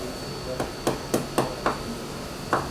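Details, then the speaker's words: Leopard 45 catamaran hull (2021/2023) hammer tap test at a previously repaired, cracked spot: taps about every quarter second sound dull, flat and rattly instead of ringing, indicating cracked, delaminated fibreglass. "I want you to hear the rattle noise you're looking for but you would have to assume that's going to k"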